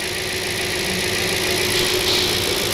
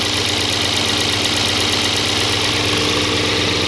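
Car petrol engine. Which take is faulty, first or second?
second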